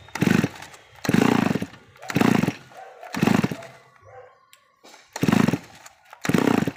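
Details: Grass cutter that wouldn't start or died immediately, running after its clogged exhaust/muffler was cleaned; sharp revs about once a second picking up cleanly and dropping back to idle without stalling or sputtering.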